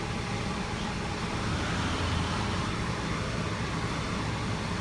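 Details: 2012 Hyundai Sonata with electric power steering, after replacing part 563152K000FFF, key on and running: steady, even low hum with no knocks or clunks; the steering column sounds quiet and healthy, earlier clunk fixed.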